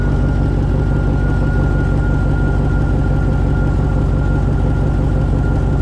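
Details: 2000 Chevy Tahoe 5.3 V8 idling on the lift after rear main seal replacement, checked for leaks; steady, even low rumble with a faint constant whine, no knocks or misses; running healthy.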